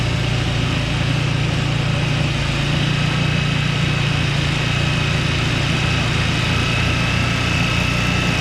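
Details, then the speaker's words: Two-stage snowblower engine that sat 2 years, running after fresh fuel was added: smooth, even drone under snow-blowing load with no hesitation or missed beats. Normal healthy running. "So while this thing started up and runs great, right? No hesitation on the engine. I'm very surprised."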